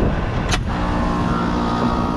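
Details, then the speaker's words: Split-system AC with R-410A, evaporator coil freezing up: sharp click, then compressor hum settles into a steady, even drone with no rattles as low side drops and high side rises. Normal compressor start-up. "hear the compressor started all right low side coming down nice side coming up"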